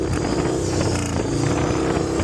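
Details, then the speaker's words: 2000 Harley Dyna FXDX after a Feuling cam chest kit with Reaper 525 cams, HP+ cam plate and oil pump replaced a failed cam chain tensioner. Lumpy V-twin blips rising and falling cleanly with the throttle; normal revving. "Honestly, the power feels like it just took the power curve and raised it up a little bit. Nice and smooth."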